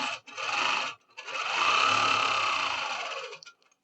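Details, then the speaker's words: Longarm quilting machine: two smooth runs of fast, even stitching whir with no popping or skipping; thread tension is right. "Oh, nice and smooth, and I don't hear any popping. No popping at all."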